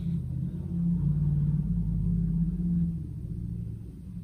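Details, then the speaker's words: Makita DCF203 cordless fan, oscillation gear motor bench-powered through its control board with oscillation switched on: low, even whirring hum with a soft gear buzz at constant speed, no knocks or catches; motor runs continuously while the reduction gearbox turns the shaft slowly. "включаем поворот видите двигатель всё время крутится А вот здесь вот в этом большом кружке корпусе редуктор пониженный и вал крутится очень медленно"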